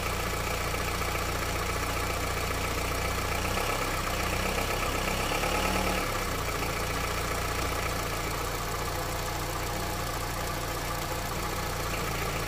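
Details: Honda CR-V, 200,000 km, cold engine idling in Drive on 5W-30 oil run 5,000 km. A light, steady tick about three times a second sounds like top-end ticking, cause unclear. The owner is testing thicker 10W-40 oil.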